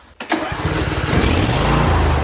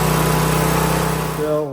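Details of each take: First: Briggs & Stratton V-twin on a John Deere riding mower (LA165/LA135 type) that had a high idle, after adjusting the speed and idle linkage tab. It catches at once, flares briefly, then drops to a low, even idle. Idle speed correct. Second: Briggs & Stratton V-twin on John Deere LA-series mower, governor tab being bent to correct speed someone had cranked up: steady high full-throttle drone, pitch sagging briefly near the end, still overspeeding, needing more adjustment; engine overspeed at full throttle.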